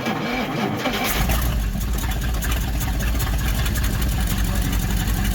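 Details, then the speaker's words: 1955 Dodge Super Red Ram Hemi on 6-volt batteries, first start in a long time: a brief crank, then it catches at once and settles into a steady, even low idle rumble with no knocking or misses. "Look at that old baby purr. Can you believe that baloney? Can you believe that baloney sounded pretty good, too? I know. Wasn't knocking or nothing."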